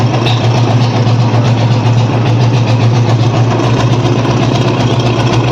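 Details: Royal Enfield Classic 350 after repairing a white smoke complaint, valves adjusted and oil flow to the valves checked: deep, even idle thump with no tapping or misses; healthy.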